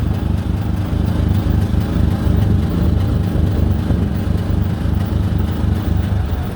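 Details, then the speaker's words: 2013 Honda Big Red 700 UTV leaking apparent transmission fluid, no warning lights: engine rumbles unevenly and sags instead of picking up as soon as it reaches quarter throttle. Engine bogging under throttle. "I guess hopefully I'll get back up the hill. Basically, as soon as you hit quarter throttle, it does this."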